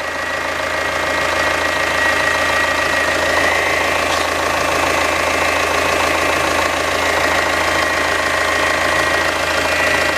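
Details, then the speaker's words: Citroen C5 Hydractive, after topping up orange LDS fluid from below the minimum mark: steady engine idle with a thin, faint whine above it as the suspension pump primes and self-bleeds back to the tank. "so we're now going to do is start the vehicle let it idle and apparently we should hear the pump prime itself and it will self bleed as it all goes back to the tank and I can hear it"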